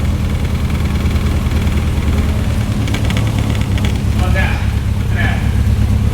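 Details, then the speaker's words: 1967 Morgan Plus 4 Drop Head Coupe, not run in years, just started cold: steady low drone, slightly uneven and a little rough, high idle around 1,200 rpm falling to 900–800 and rocking a little as it settles; oil pressure gauge stuck. "like 900 800 rocks a little bit"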